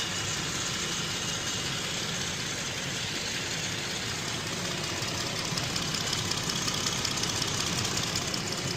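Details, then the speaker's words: 2018 Jeep Grand Cherokee 3.6L that had codes for a cylinder 5 misfire and injector circuit stuck open/closed, just started after replacing the fuel injector, spark plug and coil: steady, even idle with a smooth hum and light valvetrain ticking, no stumble; normal idle. "So, she had a little she had a little misfire, but sounds good now."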